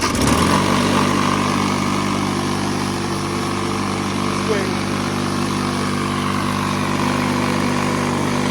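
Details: Lawnmower small single-cylinder engine on its first tank of fresh gas after a full service with the coil pack and spark plugs cleaned; it catches and settles into a steady, even buzz with no misses or surging and runs clean.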